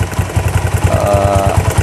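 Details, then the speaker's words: 2000 Honda Tiger single-cylinder at idle: thumping about seven times a second with light metallic ticking louder than normal valve clatter from the cylinder block; suspected cam chain or tensioner, unconfirmed. "Ya seperti ini suara ngeletek tapi lebih besar daripada klebermann"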